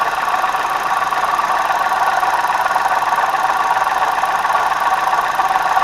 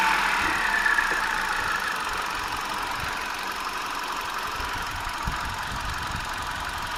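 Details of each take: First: 2009 Hyundai i20 petrol at idle before water pump replacement: a steady rough clatter, two or three pulses a second, first thought to be camshaft, timing belt, oil pump or lifters. The cause was a faulty water pump bearing. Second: 2009 Hyundai i20 petrol engine idling evenly after a faulty water pump was replaced, now much quieter; only a light, quick normal fuel injector tick remains over a steady hum.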